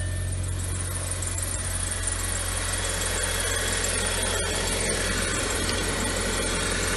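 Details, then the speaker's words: 2007 Audi A4 2.0 turbo idling steadily with low hum and faint high hiss, no knocks or misses, started right away after water-damaged relays under the ECM were replaced to fix a no-crank no-start. "and now here you go no problem at all the car start it right away"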